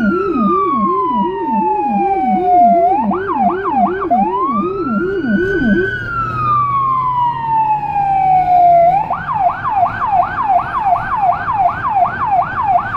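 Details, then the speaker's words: Federal Signal Rumbler siren on a car in Budapest, dashcam audio from inside: a wailing siren shifts to a fast yelp over a deep 180–360 Hz tone pulsing about three times a second; siren and Rumbler working. "However if you look at the pedestrians, there are more of them on the road, than with the "normal"(high pitch) siren."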